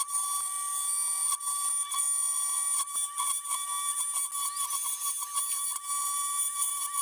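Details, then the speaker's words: Two Trees TTC 450 Pro CNC router milling a velociraptor bas-relief: high spindle whine near 1 kHz with cutting chatter as the motor cover vibrates and buzzes under load; a more powerful motor could fix it. "मैंने देखा कि मशीनिंग के दौरान motor cover कंपन करता है और शोर करता है, लेकिन यह एक छोटी सी समस्या है जिसे अधिक शक्तिशाली मोटर लगाकर दूर किया जा सकता है"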